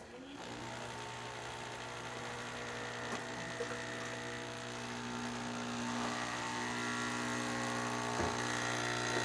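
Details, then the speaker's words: Breville espresso machine after a full service and factory reset, pulling single and double test shots. A steady, even pump drone with constant low buzz and no rattle or surging; good crema and extraction, pump healthy. "Great shot of espresso, single shot, 1 ounce, good crema, good extraction on the double shot and the single shot, as you can see right there."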